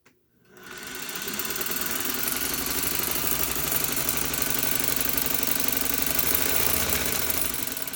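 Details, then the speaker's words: 1956 Singer 301A slant-needle sewing machine, unthreaded, run by its foot pedal operated by finger: motor spins up to an even, quick mechanical chatter and smooth hum. Healthy running. "It's just a demonstration to hear the motor and to see the light."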